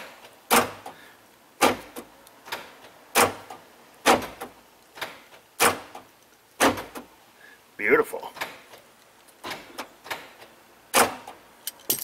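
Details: 1999 Chevrolet Tahoe rear power door lock after the actuator mechanism was serviced, lubed and riveted back in: sharp, crisp lock clicks about once a second, each quick and clean; the door lock actuator is now working properly.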